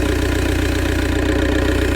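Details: Ford Galaxy TDI diesel with fuel filter bypassed, fed from a bottle of diesel: even idle, steady low clatter, no stumbling or hunting; runs after long-crank no-start and cut-out fault.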